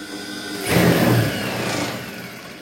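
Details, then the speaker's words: High-speed sewing machine: when the pedal is pressed, the motor surges, then sags and labours as if about to stall. The motor itself is normal; the stiff mechanism drags, with lint and a dirty needle bar bushing. "dia kayak seolah-olah mau mati dinamonya gitu doang nah seperti itu Sob"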